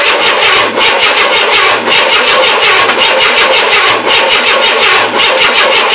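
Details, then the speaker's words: 1994 Chevrolet S10 4.3L early Vortec, first crank after engine install: a harsh, high-pitched grinding whir with fast pulsing keeps going after the engine catches, so the starter stays engaged; battery is also dying. "he's up he's out oh my goodness we got something stuck try again"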